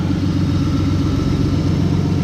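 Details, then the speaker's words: BMW six after fixing a no-start and engine noise, earlier whistle gone: deep, even engine note holding steady with no knocks, ticks or rattles; runs smooth and healthy. "suena todo redondísimo y por eso me encanta este motor."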